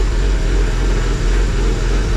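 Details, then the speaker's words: Cheap Porsche Boxster after sensor reconnected while chasing P0102 MAF code, check-engine light went off but code remains, very loud: deep idle with uneven throb and slightly wavering rhythm; rough idle, owner unsure why, maybe normal. "It does sound a bit weird. I have no idea why. I mean, maybe that's just how it sounds."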